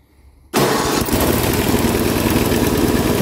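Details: Free Craftsman 10/30 snowblower, 10 hp Tecumseh engine, being scrapped: silence then immediate catch into quick steady pop-pop beat, no stumbles; starts easily and runs healthy.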